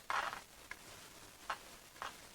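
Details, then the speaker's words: Ingelen TRV111 AM portable radio, Austrian, about 1959–60, powered from a 4.5 V supply plus battery pack (9.23 V measured overall): only scattered speaker crackles and pops, no station or tone, showing power reaches the set but nothing is received. "And there we go, we've got 9.234 whatever volts. So yeah, and of course we can hear crackling at the radio itself, which indicates that we're getting power through."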